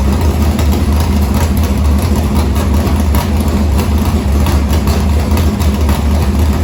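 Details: Harris race car's Morgan Machine-built open V8 (speaker thinks ~358 ci) with EQ heads, likely Edelbrock Victor Jr two-barrel intake and 85 carburetor, started after fuel line was reconnected; deep, lumpy, steady choppy idle warming up, no knocks or ticks, normal idle.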